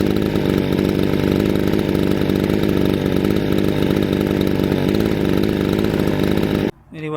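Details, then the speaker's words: Chainsaw: strong, even two-stroke buzz at steady high revs, then drops off cleanly; runs perfectly. "The chainsaw worked perfectly, as you can see, just the way we kind of wanted it to."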